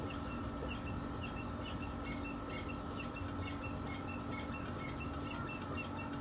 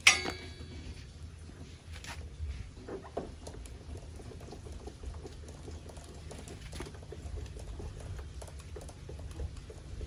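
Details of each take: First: Older Pacific Magenta electric bike: quiet, high chirping squeaks about twice a second as the rear suspension is bounced, from a dry, rusted swing arm pivot. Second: Pacific Magenta electric bicycle rear suspension flexed after greasing the swing arm pivot and refitting the ring: squeak gone, only soft irregular taps and low hum remain, owner notes another noise still present.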